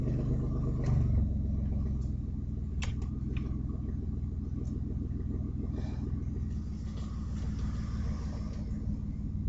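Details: Audi A4 2.8 12V at idle: deep uneven tractor-like chuffing puffs, no crisp exhaust note; exhaust leak right after flex pipe, before the cat, leaving one bank open; later repaired.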